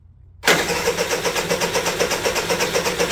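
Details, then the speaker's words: Honda EU3000is generator, serviced, pull-starts but won't start on electric starter; cranked with charged battery and charger: steady rapid starter churn about four pulses a second, never fires; no spark found, battery ruled out. "doesn't sound any different yeah didn't think so"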